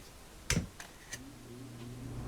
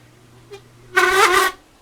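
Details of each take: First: Old Lasko box fan after repair of a bad creaking, near-seized motor that stopped immediately at turnoff: it spins up from a few clicks into a smooth, steady whir with no creak or scrape; the motor runs freely. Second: Old Lasko box fan, nearly seized and stopping immediately at switch-off: low motor hum then single loud harsh half-second creak with faint tick before it; cause unconfirmed before fixing.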